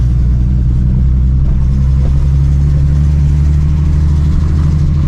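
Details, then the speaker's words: TVR 2500M, Triumph TR6 2.5L inline-six with twin Strombergs and stainless manifold/exhaust, after transmission seal replacement, slightly cold idle: steady even low burble, smooth with no knocks or misses, healthy. "Voilà un peu peu froide. Voilà, un peu froide."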